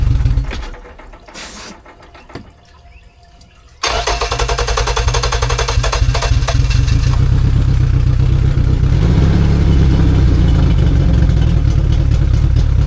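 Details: 2002 Yamaha 90 hp outboard that sat 2 years, running Seafoam: catches after about four seconds and idles fast; one carburetor leaking badly keeps the idle high; one cylinder has low compression.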